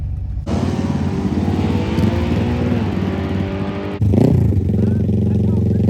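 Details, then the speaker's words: Kawasaki Z125 with a 650 engine swap at Shadyside test and tune: winds up hard, then after the shift sounds flat and strained at high rpm, not pulling through; a valve acting up again or the fuel pump is suspected. "It sounds like the thing, it sounds like in the high RPM like it's not pulling through."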